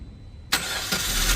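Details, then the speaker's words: 2021 Maruti Brezza petrol, 50,000 km, first start after engine overhaul for suspected bent connecting rod, coolant refilled, not revved: starter catches quickly into a quiet, even idle with no knocking or rattle; healthy engine. "बहुत ही प्यारा sound आया यार गजब का sound आया यार क्या बात है ऐसा तो आईडिया नहीं था इतना प्यारा साउंड आ जाएगा यार"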